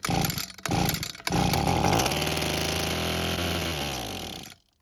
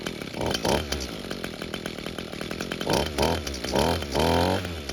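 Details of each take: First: Abandoned Echo string trimmer with missing purge bulb, manually primed with fuel: the two-stroke catches and buzzes high for a few seconds, then dies, same as before. Carb and fuel system blamed; the carb metering diaphragm was hardened. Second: Echo string trimmer two-stroke with new air filter, restarted hot: fires quickly, settles into a steady buzzing run with clean throttle blips; normal hot restart and running.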